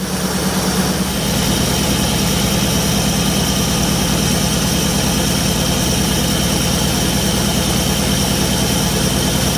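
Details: 1966 Ford Ranchero factory V8 with good spark confirmed, warming up: even, steady idle with constant low rumble, no misses or knocks; sounding much better than before; normal idle.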